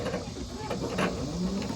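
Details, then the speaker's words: Craftsman TurnTight 42-in lithium-ion electric riding mower pulling away: only a soft low electric hum and faint motor whine, no engine; super quiet, healthy. "And also, this is super quiet too."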